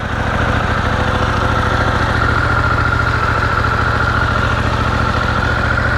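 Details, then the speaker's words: 2023 Harley-Davidson Pan America V-twin with stock exhaust, just started in neutral: even, low, loping idle thump with no knocks or rattles. A little startup noise, judged not bad, healthy. "one of the complaints about this bike is when you first start it up uh let's say it's noisy which it kind of has a little bit of a noise that's not bad"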